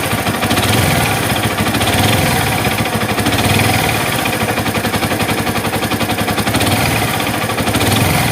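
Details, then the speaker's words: Yamaha Vixion-series engine (Vixion Old to MX King): rough rapid knocking about four beats a second heard at middle of block and lower crankcase; worn connecting rod big-end bearing knock. "Masih berbicara masalah bunyi kasar yang ada di fiction series, mulai dari fiction old hingga M.A. King nih. Nah, bunyi kasarnya seperti yang kalian dengar di video di awal."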